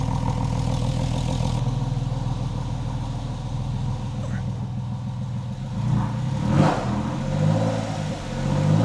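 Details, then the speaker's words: Freshly rebuilt 3.8L Porsche 911 flat-six, first start after engine and transmission install, held at raised revs to warm up; smooth, even revs swelling with throttle, five bar oil pressure, healthy engine warming up. "so I'm just trying to like keep the revs up and to get this thing hot"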